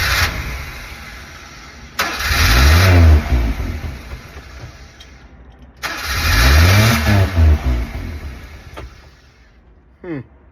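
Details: Honda Acty that cranks, catches and revs briefly, then dies within seconds, twice over. Spark, fuel and air were confirmed, the carburetor was cleaned and there are no vacuum leaks. Cause was burnt ignition switch contacts, fixed by cleaning and sanding them. Starts then stalls.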